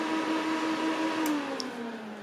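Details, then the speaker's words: 2008 Mac Pro after months unused, side panel off, RAM card error LEDs lit: loud steady whirring fan hum at fixed pitch, then sags as it winds down; fans at full speed after failed boot, suspected memory error. "there we go the fans are now going loud again that definitely sounds louder now with the side panel off"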